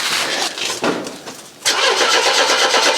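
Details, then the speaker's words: Mercedes W123, long parked, in neutral, with a little petrol recently added. It cranks over easily in steady bursts but never fires. The owner suspects fuel starvation, with the petrol drained to the back of the tank. "oh that cranks easy doesn't [Music] it I did put a bit of Petrol in it the other day as [Music] well it's never as easy as to Hope is it i' expect all the petrol is drained all the way to the back"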